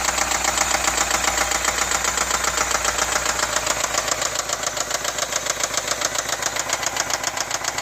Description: 2010 BMW 4.8i x5 e70 N62B48 engine knocking -- any ideas as to what it is? 64k mi.